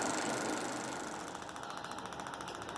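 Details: Fuel injector pulsed on a home-built ignition coil and injector tester with roughly 2–10 ms pulses: fast even ticking, about ten crisp, regular clicks a second as the solenoid snaps open and shut; injector working properly.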